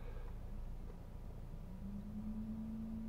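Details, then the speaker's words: 2012 Nissan Qashqai fitted with aftermarket LED headlight bulbs: faint steady hum around 200 Hz from the bulbs' cooling fans, which run noisily while the light output is excellent; fans needed to cool the LEDs. "вентилятор громко работает но свет светит изумительно это вот мы встали перед кучкой вообще отлично единственный недостаток вентилятор работает шумно да"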